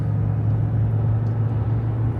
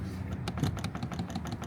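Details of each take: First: Jeep Grand Cherokee WK2 at about 75 mph on the freeway after padding the windshield cowl so it can't jiggle: steady road and wind rumble, no hum or drone; cowl noise fixed. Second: Jeep Grand Cherokee WK2 windshield cowl, pushed up and down by hand with the hood open: irregular sharp plastic clicks at its contact points, suspected source of the highway humming; fix is rubber shims under the contact points.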